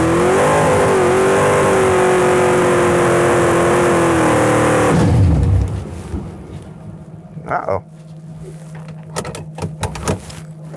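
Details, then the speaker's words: 1967 Pontiac Firebird 400 supercharged Pro Street drag car at the track, blower sped up, jets changed four sizes, launch RPM raised 300; loud V8 holds nearly flat revs, won't climb cleanly, drops off, smoky; breaking up under load, cause unconfirmed. "all right still breaking up I don't know if that went better or not cuz it didn't sound amazing"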